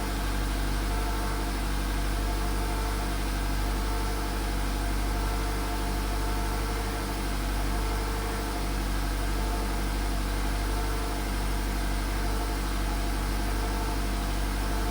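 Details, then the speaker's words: Cold start on a VW Polo sedan at almost 100,000 km: raising engine speed to about 1500 rpm stops the knock, leaving a smooth, even hum; the tapping heard at idle fades at these revs. "Если даешь побольше газу, в каком-то месте можно, найти такое место, где он перестает долбить. Вот. Где-то 1500."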